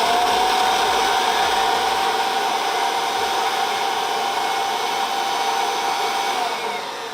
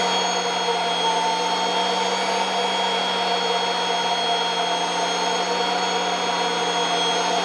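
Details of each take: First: Kirby Avalir 2 vacuum with the stretch hose retracted to three feet, versus the usual seven-foot hose, spinning up the Avalir zip brush: a loud airy rush with a steady mid-pitch whine easing slightly. The brush spins up well, normal. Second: Kirby Avalir 2 vacuum with stretchy hose driving a turbo sander: steady vacuum whine and high sander tone, low hum dropping in pitch as the hose is stretched, reducing airflow and slowing the sander.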